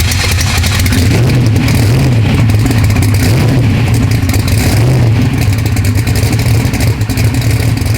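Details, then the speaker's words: V8 drag car (the Bad Apple) run up toward racing temperature before first drive: deep rumble rising and falling with throttle, faint fast ticking on top. Valve train noise; the valves need adjusting, so the run is kept short. "Going through, it's got some valve train noise. The valves need to be adjusted, so we're not gonna run it long."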